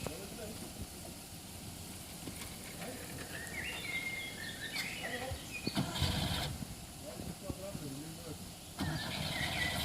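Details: 1980 Peugeot J9 campervan, cold, not started for a week, just fitted with a new battery: long uneven cranking with scattered firing attempts before catching; hard cold start, long cranking.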